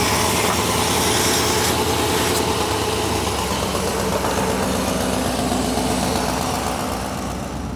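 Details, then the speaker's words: 1987 square body Chevy small block V8: rough idle with a sharp puffing tick on every firing pulse, loudest low on one side; exhaust blowing past a leaking donut gasket, manifold suspected. "On this side you can hear it. I think it's the exhaust manifold is what I think it is on this side."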